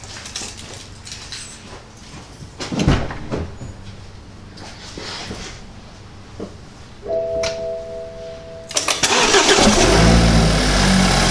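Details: 2013 BMW 328i F30 N20 first start after installing an Injen intake: handling noises, brief starter whirr, engine catches promptly and settles into a steady, even running note; normal start and idle.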